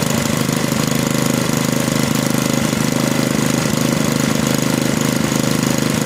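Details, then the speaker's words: Small engine restarted after a mechanical governor adjustment that took the slack out of the linkage; steady, fast, even beat without surging or hunting; the governor is controlling maximum speed properly, normal. "now when i restart the engine we should see that the governor is able to control the maximum engine speed once again"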